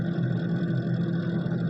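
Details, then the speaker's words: Refrigerator: steady low hum with fluttering, scraping rattle as the evaporator fan blades hit built-up ice; fix is switching fridge off two to three hours to let ice melt, after which noise stopped. "जब ये ice जलते चलते चलते चलते जब जमा होती रहती है और ये पंखे के पास आ जाती है तो ये पंखा उससे टकराना शुरू करता है तभी ये आवाज शुरू हो जाती है"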